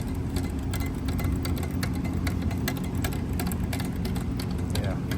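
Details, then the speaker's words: Honda S2000 alternator, rattle noticed while turning the motor over: irregular light ticks and clatters over a low hum that free up when tilted; something loose suspected bouncing inside and occasionally jamming the internal fan, cause not confirmed. "So when you tilt it, it frees up. So it could be just something bouncing around in there. You can hear it."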